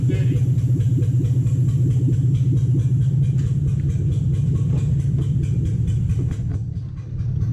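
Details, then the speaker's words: 2007 Toyota Hilux 4x4 with swapped 3UZ V8, first runs after swap: deep idle with uneven, loping beat, one side seemingly not firing; misfire, suspected lost coil on one side, later fixed, right-hand side running properly. "we've lost a coil on one side"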